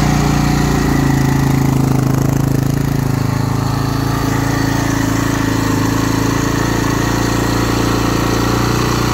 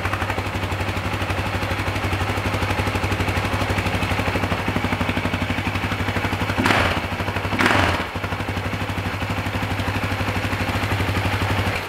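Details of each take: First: 2009 Husaberg FE 450 single-cylinder, after about 30–40 km of riding on its first summer ride following rebuild work: standing with clutch pulled, idle thumps steadily at a raised speed, increasingly far too high. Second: 2009 Husaberg FE 450 single-cylinder: slow, even thump at a calm idle after repeated idle-speed adjustment, sounding quieter and freer than before, no stumbling, then switched off; idling properly.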